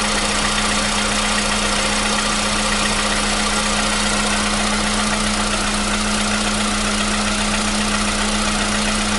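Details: 2015 VW Polo Sedan (CFNA petrol), 76,000 km, cold start with new battery: smooth even cold idle, steady hum, no knock or tapping; the cold-start knock it had since 2016 has vanished.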